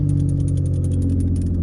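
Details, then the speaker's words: Vehicle back from winter hibernation at 11 degrees, battery tended, a little race gas added: strong steady low rumble with an even beat and light ticking, no misses or stumbles; fired right up, normal cold idle. "Oh yeah, baby, she's back. She fired right up."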